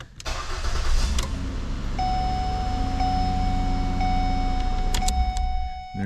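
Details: 2008 Ford Escape during replacement of the ignition lock cylinder housing, with the switch and security sensor reconnected: a short crank catches at once and settles into a smooth, steady idle with no stumble or misfire. Normal start.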